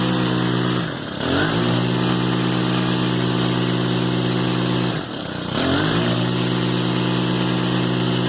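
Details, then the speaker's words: Stihl FS110R two-stroke trimmer, which was bogging and wouldn't rev, running after carburetor replacement: steady even buzz, dips briefly twice and recovers cleanly, no bogging; fired on first pull, normal running. "all right we have some success on here easy easy process just replace the carburetor"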